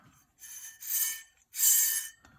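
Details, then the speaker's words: Opened IBM hard drive from a PS/2 Model 25 that screamed on power-up and failed diagnostics: three harsh, gritty half-second scraping bursts as the heads drag on the platters, with aluminum shards visible while the motor itself works; a head crash. "looks like uh some sort of a head crash you can actually hear it scraping on plus look at all the look at all the aluminum shards"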